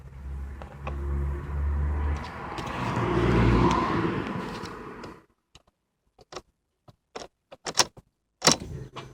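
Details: Engine on an ST 225 with one warning light flashing: a few seconds of cranking that rises and fades without catching, then silence and scattered clicks; no start, cause unknown.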